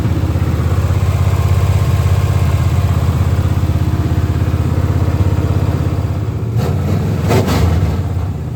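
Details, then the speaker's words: Monte Carlo SS V8 after engine rebuild, first fire-up, stock cam, about 300 hp, in neutral; even steady idle pulsing about three times a second then a couple of clean blips; smooth and strong, normal idle and revving. "The car it fires right up I'm talking about a man and it sounds great. Sounds good don't have a cam in it."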